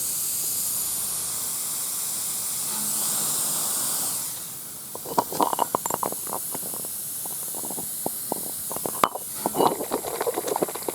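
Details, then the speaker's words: Peterbilt 359 tire, hot water on the valve stem: steady thin high hiss, then fizzing and crackling bubbles as air escapes past the stem's failed inner rubber; valve stem air leak. "but this is leaking air so this is what if you see the bubbles"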